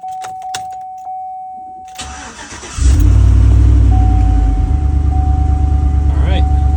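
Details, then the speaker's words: 2012 Chevrolet Silverado 5.3 V8 after intake gasket replacement (fixing hard start, lean code, auto-start cranking): chime, cranks and catches, settles into a steady, even idle with no misses or ticking; normal idle. "Still charging. Idle sounds good. I think we're good."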